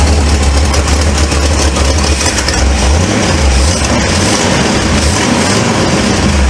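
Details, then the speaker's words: 1948 Ford F1 custom panel truck, engine fairly cold, idling: loose, rapid puffing tick over a deep rumble from an exhaust manifold leak; the manifold is about to be replaced. "That's moving y'all out. But you can hear that exhaust leak."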